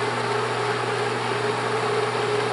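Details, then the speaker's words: Bell & Howell Autoload 8mm film projector, motor on at normal speed in 8mm mode: smooth constant motor hum with airy fan rush, no ticking or wavering; running normally. "Ahí se escucha el motor. Y toda esta parte vamos a sentir una corriente de aire fuerte."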